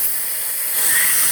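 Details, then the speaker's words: Filter Queen Majestic 360 canister vacuum (motor 119649-00, 5.1", dated 06/30/04) during airflow/suction test: thin steady high hiss swelling under suction as air leaks around the canister latch; suction has dropped. "but this that still won't prevent it from leaking around the uh latch but yeah we're still leaking i can hear it well suction's definitely gone down"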